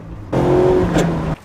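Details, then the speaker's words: Mazda MX5 Roadster with a broken transmission, shifting: sudden one-second harsh grating crunch over the revving engine as the gear goes in. "and this is how it sounds like with a broken transmission"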